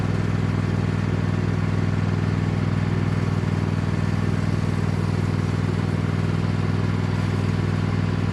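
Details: Cub Cadet lawn tractor, badly neglected, running under load on a test drive after installing an aftermarket knockoff carburetor; steady, regular thump about four beats a second, no surging, popping or hunting. Runs far better than expected, normal.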